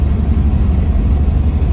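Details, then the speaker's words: 1997 Chevrolet Camaro RS 3.8 L V6, under load accelerating up a hill below 2000 rpm: heavy low rumble that shakes and stumbles unevenly, whole car vibrating; cylinder misfire from cracked coil pack, code moved from cylinder 5 to 3 after coil swap. "let's see if it misfires like it did before yep it is really sputn yeah the whole car's vibrating"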